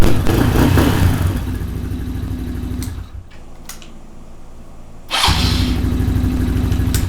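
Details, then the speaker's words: Small single-cylinder carbureted engine, choke off, cold, pilot air screw still to be tuned: revs up, settles to steady even idle, picks up cleanly without stumble; normal running. "Now, I gotta tune the pilot air screw, but I gotta let it heat up to normal temperature. But it sounds great already."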